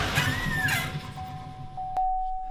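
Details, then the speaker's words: Salvage 2018 GMC Sierra 3500HD at idle: a thin, steady high whistle over the engine rumble, from exhaust escaping past the gasket at a possibly bent EGR pipe flange; exhaust leak whistle, fix is to replace the pipe. "the word whistle noise yeah that's because of the air go through the gasket and whenever there's air builds out and it pushes out wobbles like so and makes that noise"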